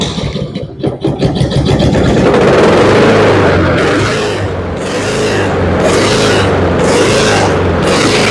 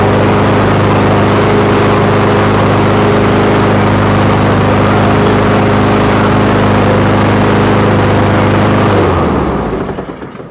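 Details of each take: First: Honda HRX217 lawn mower engine surging at idle, speed rising and falling every second or two; oil black and overdue for service, carburetor suspected dirty, fixed by removing, cleaning and drilling the carburetor. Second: Honda HRX217 lawn mower after carburetor cleaning and new air filter, before new spark plug and oil; steady even engine note with no surging, clean wind-down at shutoff.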